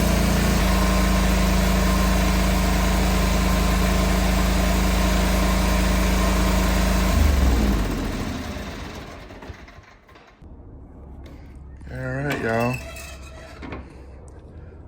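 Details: John Deere 425 mower after replacing O-ring seals and the drain plug gaskets, with oil topped off and the filter refitted: a smooth, regular idle for about seven seconds, then a clean shutdown. Engine running normally.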